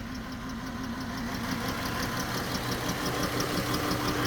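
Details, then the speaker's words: Dodge Chrysler, 134,000 miles, severely overheated after being driven with a coolant leak (oil cooler leaking, coolant low); idle shakes with a regular uneven stumble about three times a second: misfire. "It's shaking. Where we going? Why am I shaking? I got a misfire somewhere, guys."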